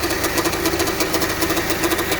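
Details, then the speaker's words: 2005 Honda Civic, replaced engine, heavy steering and clunk on left U-turns: rough pulsing growl at about seven beats a second over the idle while steering left; power steering pump bearings worn, pump not pumping enough fluid. "you can clearly hear the bearings even though you push the steering uh you turn this turn to the left the pump is not helping the steering"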